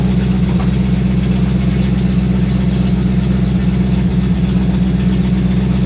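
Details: Sixties Ford Galaxie with a small-block V8 (289, possibly a 302), carbureted, after revival: steady, even idle with a regular low beat a little faster than it should be; high idle, suspected timing too advanced, carburetor to be checked.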